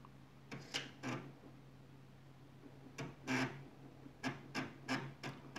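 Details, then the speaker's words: Commodore Amiga 1000 floppy drive loading Workbench 1.3: quiet hum broken by loud bursts of chattering head-step clicks; owner thinks the loudness comes mainly from case resonance, not the drive itself. Normal floppy seek noise. "objekt ist relativ laut wie man hört ist kommt glaube ich primär durch die resonanz nicht durch das laufwerk selber"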